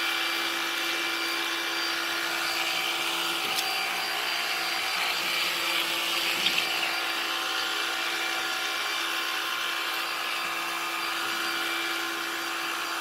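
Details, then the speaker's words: Black+Decker HSVJ520JMBF27 20V Max lithium 2-in-1 cordless stick vacuum on hardwood floor: steady high-pitched whine with some strain, pitch even; owner suspects a partly plugged filter, but suction still works well. "Right now it sounds like the filter's a little plugged, but it's still working great."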